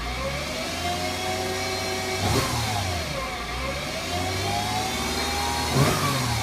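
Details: 2008 Mercedes-Benz C300 V6, stock exhaust, cold start and revving: a high whine rises and falls with each rev over the engine note from a failing alternator; a replacement alternator cured the noise.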